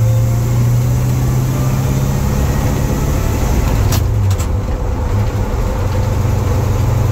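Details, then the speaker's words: 1953 Chevy truck after Muncie 4-speed transmission work, second gear gone: steady low roar over road noise when lifting off the throttle; driveline noise on deceleration, cause unknown. "Y'all probably can't hear that, but when I let off the gas, it's a roaring. I don't know what it is."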